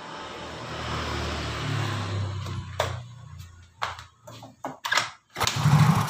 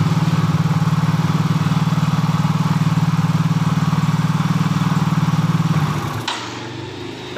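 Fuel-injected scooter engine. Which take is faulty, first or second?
first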